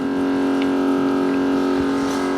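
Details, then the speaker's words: 1957 Chevy with dual FST carbs, new electric fuel pump run off a jumper pack while setting the regulator: steady high, strained hum against the closed line; overpressure. "we'll just see right quick if it's going to can I hear it it's picked up oh that's lots of pressure"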